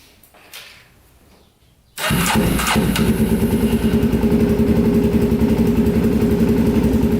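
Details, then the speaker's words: 2004 Polaris Predator 500 quad, cheap purchase, first start after fix-up with fresh oil: quick crank, then the single settles into a steady, even thump with no ticking, smoke from the pipe; normal idle. "so sounds like it runs pretty good so smoking from the pipe here"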